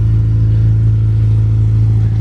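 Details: Honda Civic Si test drive after fixing an unplugged crank sensor wire and bad serpentine belt: loud, steady low drone at constant speed with no tapping, slipping or squealing; engine running smoothly.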